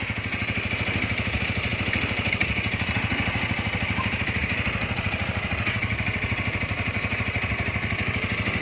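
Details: 2019 Honda Rebel 300 fuel-injected motorcycle, about one year of use, original engine: steady, even thump of about three beats a second with light, clean clatter on top; smooth, healthy normal idle.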